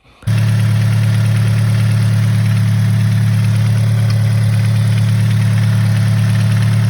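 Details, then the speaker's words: 2013 Scion FR-S after its recall repair, engine removed by the dealer to cure a ticking noise: steady petrol idle with a light, quick tick about three per second still present. Engine ticking at idle not fixed. "listen closely, you can hear like this ticking noise."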